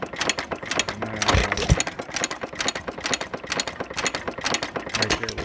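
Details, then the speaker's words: Frost King Jr 23959 1-3/4 hp hit-and-miss engine after detent adjustment and new springs: rapid light clatter and sharp clicks as the governor latch keeps jumping off. Suspected causes are rocker wear, worn pins, or a detent too tight with wear; not confirmed. "This is after a little bit of tinkering here and respringing. Let's see what's causing this to jump off now."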